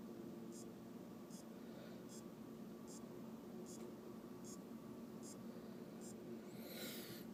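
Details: Aopen LCD monitor that won't power on, power supply reinstalled: faint steady tick about every 0.8 s over low hum; capacitors replaced, diodes, rectifier and transistor checked, source not yet found.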